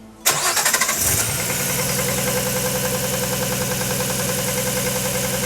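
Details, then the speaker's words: RB-powered (GT-R engine) Datsun 240Z with turbo and ITBs on the dyno, inlet cam gear reverted: engine catches, steady rapid knocking over fast cold idle, same noise as before; cause unknown. "to start to get us in the ballpark started her up with a noise which immediately the only thing we've changed is Inlet cam so we put that back immediately only to result in the same noise"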